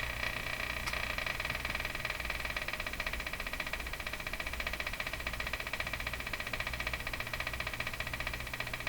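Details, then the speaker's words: Emerson 34C tombstone tube radio (c.1935) on first power-up, broadcast band: fine rapid buzzing with a regular pulse over steady hiss; local electrical interference heard in this house for about 10 years, source unknown. "oh for crying out loud what is that this sound has haunted me now for about I don't know whole time I've lived in this house 10 years"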